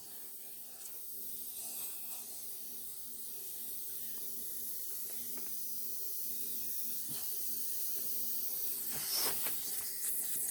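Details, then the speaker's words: Lawn mower tire just reseated with a quick burst of air: soft, continuous high hiss of air leaking past the bead at the rim; tire may be no good, owner hopes warming and tapping it will seal it. "If air don't have no air to go, it'll span the tire. That's if the gap that you're trying to fill or whatever, the ring is not a big gap. It will work. But this tire might not be any good. I hear it leaking."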